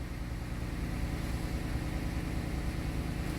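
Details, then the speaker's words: 2007 Dodge Nitro after fuel pump replacement and 6 gallons added (had run out of fuel, gauge wrong): steady low even idle, no knocks or misses, no leaks; normal idle, repaired. "So it is running. Thank God. In here. I got no leaks."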